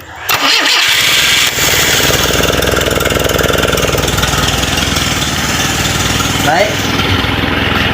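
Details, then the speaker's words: Toyota Kijang 12R engine project, starter test: short, light, even cranking quickly catching into steady running; starter normal and light, healthy and unlaboured. "mesinnya starter normal dan ringan."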